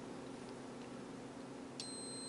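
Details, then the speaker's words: KTO011 mini thermostat (NC, 220V, 10A, 8 °C hysteresis) on a continuity tester: room hiss, then at under two seconds a steady high beep starts and holds as the dial passes 20 °C and the contacts close. "получается он должен начать у нас замыкать контакты тестер будет пищать собственно говоря"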